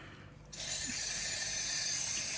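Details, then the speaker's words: Pressurised water pipe buried in a care home's concrete floor near a drain-off: water switched on gives a sharp, steady spray hiss for about two seconds, then stops; leak believed to be on the pipe, not the drain-off. "that's leaking from somewhere i don't think he's on the drain off i think it's on the pipe that thing just broke off whatever it was into he's gone"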